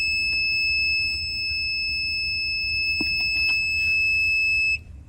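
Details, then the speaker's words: Battery power pack running a septic pump with float tree: piercing steady high-pitched alarm after wattage rose, then cuts off; owner suspects overdraw tripped the internal breaker or blew a fuse, not confirmed. "I got a sound coming from my battery pack now like a screeching um like I may have either uh burned out a fuse or flipped the breaker"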